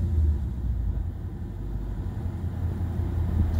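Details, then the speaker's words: 2012 Mustang GT V8 idling with a low steady rumble, settling to an even beat without stumbles after throttle body cleaning fixed a previously rough idle with check engine light. "all right so already it's kind of seems like it might stabilize"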